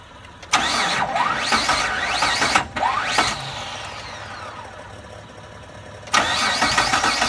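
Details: 2002 Mitsubishi Montero 3.5L V6: starter whirs in repeated bursts with a quick, even chug, but the engine never catches; cranks with no start despite confirmed fuel and spark.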